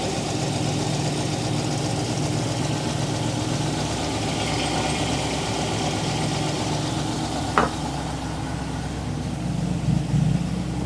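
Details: TVR Griffith 500 V8 idling in the workshop at first start after extensive work, new HT leads fitted with original extenders; coolant being topped up and burped. Deep, steady burble with an even low pulse, no knocks or misses; normal healthy idle.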